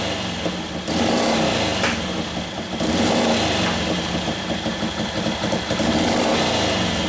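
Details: 1941 Harley WLD 45 56ci stroker flathead, fresh build with performance cams: a lumpy V-twin beat rising and falling with blips, hesitating before picking up revs. The main jet is running lean and was turned out to richen it.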